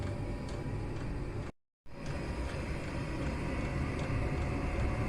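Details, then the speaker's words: Chinese mini diesel air heater used to heat a garage, starting up with the fuel pump pulsing: low steady roar building evenly after a brief dropout, no knocks or sputter; combustion lighting and heating normally. "the glow plug should have got hot and uh you can just tear a little RAR there as the heat starts to to come out again"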